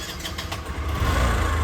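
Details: Bajaj Discover after fixing self-start fault (previously only tak-tak clicking, starter relay suspected): engine catches promptly on button and settles into low steady idle with no clicking; healthy electric start.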